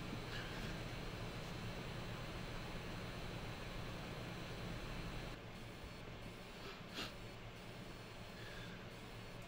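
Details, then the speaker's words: Blackmagic Pocket Cinema Camera 6K onboard mic on firmware 7.3: steady fan hiss with faint irregular pulsing warble; modulated fan noise, later traced to chrome-plated or conductive lens adapters (black anodized adapters avoid it), sound stopping in playback mode. "this is camera software 7.3 you can clearly hear a modulated sound now in the fan"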